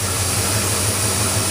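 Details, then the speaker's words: 1979 Ford F-150 4x4 460 V8 with FiTech fuel injection, automatic: high-pressure fuel pump primes at key-on, starts right up, then smooth even low rumble without knocks or misses; normal running. "Hit the key, you hear the the uh highpress fuel system. The key, it starts right up."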